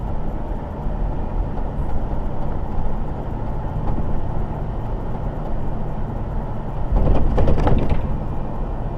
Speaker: So, as you can hear, there's one or two rattles, but then again, it's an old truck, and it is.